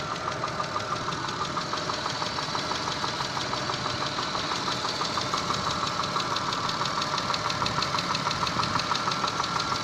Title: стук двигателя на теплую 6a13